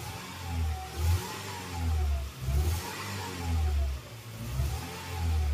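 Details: Toyota Innova 1TR engine that shakes and won't accelerate, after a spark plug and air filter change: uneven, stumbling low drone as it is revved, the pull breaking up under load, from a failing ignition coil misfiring.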